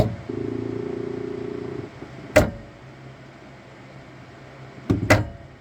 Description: Saturn Ultra 4 16K knocking noise issue I have when I print. After I tell it to print.....At 0:32 the platform tray goes up and keeps going up....making a noise.